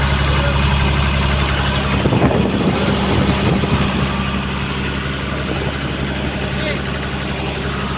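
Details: Komatsu PC200-8N1 excavator diesel, previously hard starting from a leaking common rail fuel relief valve: deep, steady drone at constant speed after a brief clatter near two seconds, idling evenly and healthy.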